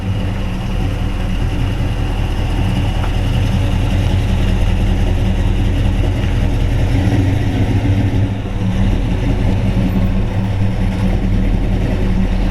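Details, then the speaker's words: 1956 Chevy 210/Bel Air resto-mod, ZZ4 350 V8 with about 13,000 miles (35,500 on the car), 700R4, 9-inch rear: deep, steady V8 rumble with an even lope and no tapping or knocks. Normal, healthy idle. "Alright, he's going to fire it up and turn it around so I can video the other side of the car. Sounds great, don't"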